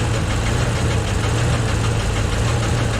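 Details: Lumpy idle with dull irregular tapping and some puffing, valve cover off, oil starting to reach the valves after blaster and ATF/oil flushes. Rough slow, better at high idle. Owner suspects the cam.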